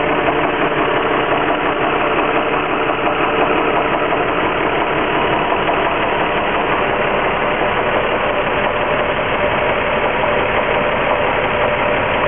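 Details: Infiniti G35x at idle right after an oil change: light, fairly quick ticking knock about three per second from the engine bay over a thin engine sound; knock/ping at idle, cause unknown.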